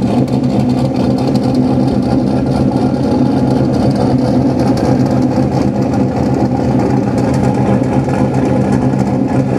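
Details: Engine idling after the exhaust was refitted (removed to swap the fuel lines for PTFE hoses) and its leaking joints sealed with sealant: smooth, even idle with a steady low drone and no puffing or ticking. A swab test shows no exhaust leaks.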